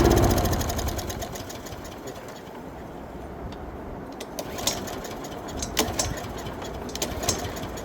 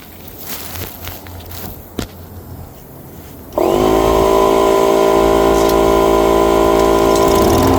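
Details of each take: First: Lawn mower unstarted for 4–5 years, with four-year-old gas in the tank, catches with a brief loud burst then sputters and dies within seconds; fuel starvation from a blocked carburetor. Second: Mower unused 4–5 years, with 5-year-old gas, starts after compressed air was blown through the fuel line and carburetor; after handling noise it fires and settles into a steady, even drone with no misses or surging, running healthy.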